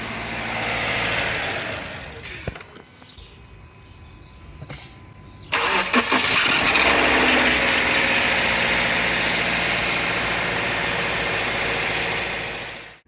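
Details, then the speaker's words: Subaru Outback with factory 1.2 kW starter (23300AA710): harsh metallic grinding only while cranking, clearing once the engine fires and idles. Heard from the starter, near the driver's side; likely worn bushings. Fixed by fitting a 1.4 kW starter (23300AA570). "и нахожу что звук идёт от самого стартера находится он вот здесь вот прямо вот поближе к водителю"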